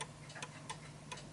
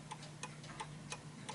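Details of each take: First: Vintage British Bentima/Perivale Art Deco 8-day Westminster mantel clock, deliberately tilted off level: ticks come in uneven pairs, ticking more than talking; the clock is out of beat and comes to a stop. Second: Vintage British Bentima/Perivale Art Deco 8-day Westminster mantel clock, pendulum adjusted to suit the surface: crisp, evenly spaced tick-tock at about 87 beats a minute; clock in beat and running properly.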